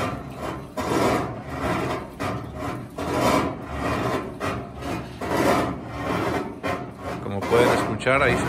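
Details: GE washing machine filled with water, on wash cycle: harsh scraping rasp from underneath swells with each agitator stroke, roughly every two seconds; grinding noise during wash, cause not pinned down.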